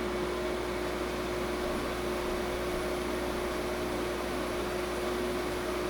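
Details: 5,000 BTU window air conditioner, about 10 feet away, compressor running: steady airy fan rush with an even mid hum, no rattles or knocks; healthy operation.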